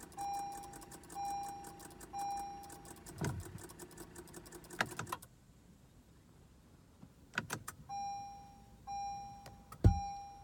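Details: 2015 Acura TLX, key turned: only a repeating dash chime and a few clicks, no starter whir or cranking. Random electrical no-crank, not the battery, worst in very hot weather; cause unknown.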